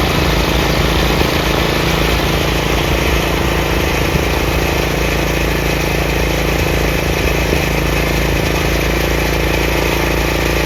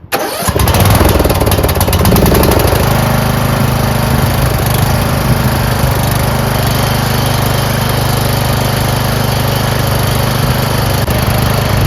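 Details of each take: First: Craftsman 30-inch rear engine rider mower, after the throttle lever and PTO repairs: a constant, even single-cylinder drone with the blades engaged and no grinding, squeal or labouring. Normal running. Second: Craftsman 30-inch rear engine rider mower started on choke, with its carburetor never cleaned and questionable gas in the tank. It runs rough with a sagging beat and soon stalls. The owner suspected the carburetor, fuel solenoid or bad gas. Fuel starvation stalling.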